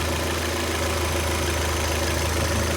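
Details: Citroën C4 Lounge after replacing the oil filler cap, whose vacuum membrane had torn and caused a false-air intake noise and power loss: a steady, even low idle hum with no tapping or rattle, noise gone.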